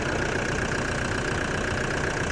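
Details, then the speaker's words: Diesel engine of a demountable truck-camper idling after an air filter change. Steady, even idle clatter with no belt squeal or chirp: normal idle. "So, the engine looking really good."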